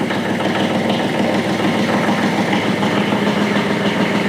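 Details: 40-year-old mid-80s Kubota F2000 front-mount mower, three-cylinder diesel, first start after 10-second glow plug preheat, transmission in neutral: even, steady diesel clatter at idle with regular low thrum, no misfires or knocks. Normal idle.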